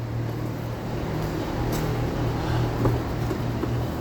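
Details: 2018 Dodge Durango 5.7 V8, 77,000 miles, towed in: a steady, uneven starter churn that never catches, so it cranks but won't start. A fuel pump wiring fault is suspected, since hammering the underbody connector (dark blue/orange wires) made it start.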